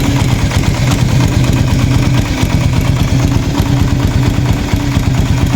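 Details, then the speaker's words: Raider 150 FI motorcycle at 43,904 on the odometer before tensioner reset, at startup: light, fast ticking rides over the idle and doesn't settle after start; persistent ticking means the cam chain tensioner needs resetting. "Kung napapansin nyo, pag hindi nawawala, ibig sabihin kailangan na mag-reset ng tensioner."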